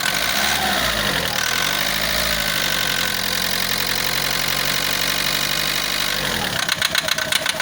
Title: Bruit moteur. Rail - عطل وطقطقة فة محرك السيارة اعراض بدأ تلف حساس الديزل